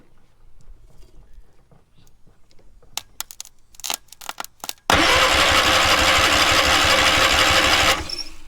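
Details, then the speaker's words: Long-stored free trailer-mounted man lift, engine with junk carburetor fed a little gas, has spark: after some rattling, about three seconds of steady cranking with even compression beats, no skipping; decent compression. "It actually sounds like it's got decent compression."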